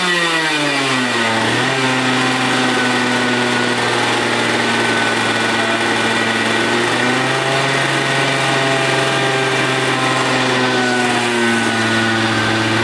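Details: Two-stroke racing go-kart engine, displacement unknown (60, 85 or 100cc), unused for years, running after a starter rebuild and spark and fuel troubleshooting. It idles evenly, revs cleanly and settles back, firing crisply: normal running.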